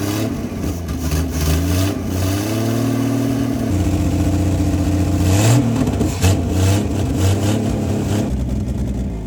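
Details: 1959 Ford Edsel revived after sitting over a decade, idle turned up: engine climbs through repeated free revs and settles back cleanly with no stumble, carburetor responding; normal revving, though carb rebuild is criticized as poor.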